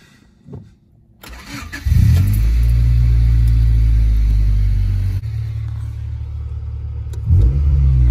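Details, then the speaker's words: 1995 Honda Civic started after cooling 10–15 minutes; fast idle sags partway through then climbs again; fixed by wiping down and resetting the IAC valve; idle hunting. "i'm sure you'll be able to hear it if she's idling funny"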